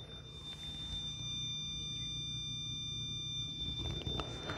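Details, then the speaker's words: Mammotion Luba AWD robot lawnmower pushed against a post, not set as a no-go zone, fails to bump and go. It gives a steady, piercing high-pitched squeal; cause unclear, recurring lately. "do you hear that high-pitched squeal now I do not have this post as like a no-go zone or an off limit zone so I'm not sure why it didn't bump and go"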